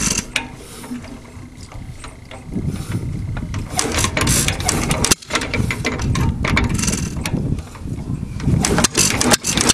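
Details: 1921 Hercules 1½ hp hit-and-miss stationary engine with Webster magneto and a substitute earlier-style flywheel, after repair: loud single-cylinder pops with uneven coasting gaps between fires; a nice running engine.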